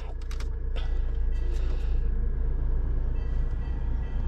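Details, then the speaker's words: Mercedes A170 cabin blower motor after repair and new resistor/control unit, brass bearings lubricated with WD-40; steady even low hum with a few light clicks at first, then smooth; normal blower fan running. "you can hear it beautiful beautiful beautiful Qui after service the motor put a little bit of the dw40 make the brass bearings inside the bearing more smoother and more healthier"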